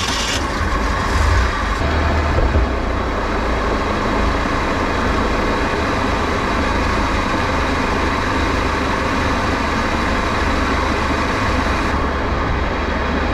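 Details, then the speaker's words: Flood-washed Bayliner boat, alternator overcharging 16 volts, hull taking on water, running on the water at full throttle: strong, steady roar with no misses or surging; running good. "so far so good though she's uh running good she's full throttle"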